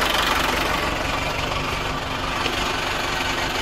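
Steady, even diesel clatter at idle with no knocks or uneven beats; the engine sounds settled and runs smoothly.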